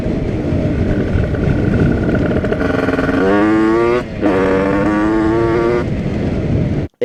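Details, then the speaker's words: Tuned 80cc Rieju RR two-stroke moped with a brand-new cylinder in break-in, on its first test ride. The carburetor is not yet set up, with the biggest jet fitted, on a 4% oil mix. It revs with a blubbery, uneven note; the owner thinks it is running rich. "like it's running rich and awesome using 4% oil mixture just to make sure it's getting enough oil before they break in"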